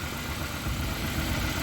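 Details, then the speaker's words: Honda Accord CB7 with newly fitted G23 engine at idle: uneven lumpy misfire, one cylinder dead. Unplugging spark on cylinder 2 causes no change, so cylinder 2 is the problem, and an injector fault is being checked. "as you can hear she's misfiring pretty good I want to come up here to the injectors"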